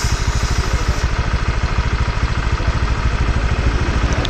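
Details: Honda Vario scooter with reported oil burning and an oil leak, idling after being revved: loud idle with a steady clatter at about three knocks a second over the exhaust beat; rough knocking engine, source (engine or CVT) not yet confirmed.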